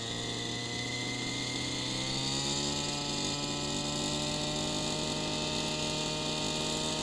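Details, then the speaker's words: Gas RC helicopter engine warming up at about 45°F: steady soft blubbery idle, consistently four-stroking with exhaust smoke, low-speed mixture too rich. "can hear that it's for stroking a lot of the time now that would why like this there's no question that hold weathers helping but it would not be ideal you see some smoke coming off of the exhaust and the four stroking is pretty consistent"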